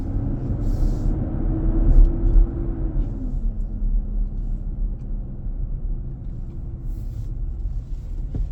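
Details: New 2023 Nissan Armada, about 4k miles, driving around 40–45 mph on a hot day, cabin near 95°F: loud low droning roar under road rumble that sinks and fades after a few seconds, returning on acceleration; happens almost daily. Fan clutch roar.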